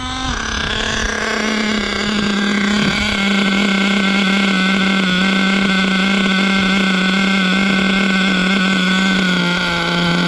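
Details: Savage X46 nitro RC truck, three-speed transmission just rebuilt with all-metal gears; steady high-pitched scream with no drop in revs, no audible first-to-second shift though one-way seems to work; owner may disassemble transmission to check.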